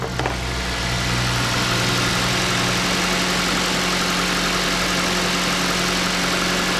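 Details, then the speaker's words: 2011 Mazda CX-7 after used engine install, coolant just refilled and letting it burp: steady, smooth idle with an even hum, no knocks or ticks; runs normally. "turn the car on let it burp itself a little bit [Music] no idea sounds good though"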